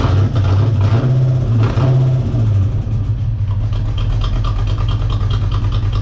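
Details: Corvette just after installing a Hypertech chip: lumpy, uneven idle with irregular low pulses and no steady rhythm; running rough because something was left out during the install.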